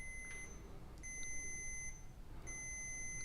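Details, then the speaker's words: Old car trunk switch tested with a multimeter continuity tester: three shrill beeps as the switch is toggled, contacts closing properly so the switch is fine; trunk latch suspected next. "자 이렇게 스위치를 올렸다가 내렸다가 하면 삐삐 소리가 들리시죠 이렇게 스위치를 올렸을 때 접점이 잘 붙어요 그렇단 말은 스위치에는 이상이 없다는 얘기죠"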